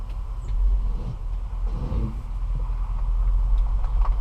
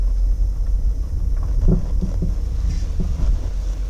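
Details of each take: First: 2014 Dodge Durango Citadel Hemi AWD after replacing sway bar links, driving over a garage lip that previously clunked: steady low engine and tyre rumble, no knock or clunk from the front end; suspension noise fixed. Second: 2014 Dodge Durango Citadel Hemi AWD driving over light bumps and a garage lip: dull low clunks about every half second through wind and road rumble, body shakes; worn sway bar end links suspected and replaced.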